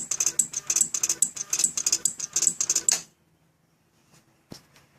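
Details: 2007 Suzuki GSX-R600 that won't start: no headlight, no horn, dash only shows check with no fault code; pressing starter gives fast sharp clicking bursts without cranking, then silence; cause not confirmed.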